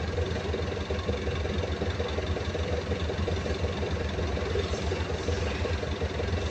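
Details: Perkins 2206-series diesel engine at idle with a dull, uneven knock roughly once a second over the low engine rumble; intake side and cylinder compression to be checked.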